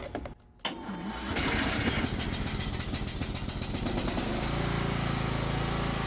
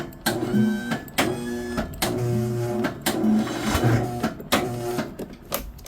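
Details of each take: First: Cub Cadet XT1 Enduro riding mower after starter solenoid replacement, battery weak and on charger: brisk, even cranking about three seconds, then it catches and settles into steady idle; starter circuit working properly. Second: Cub Cadet XT1 Enduro riding mower with a weak battery on a charger: short bursts of starter whine from the rear, engine barely cranking and never starting; hard starting all last year. Suspected starter solenoid, possibly starter or wiring.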